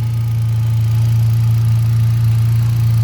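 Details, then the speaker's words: Hyundai Accent gasoline, after fuel pump relay swapped with horn relay to cure a crank-no-start, restarted, charging 14.3 V: smooth low steady hum, no knocks or misses; healthy idle. "Walang palyado. Okay naman yung makina. Oh ayan walang problema sa ngayon."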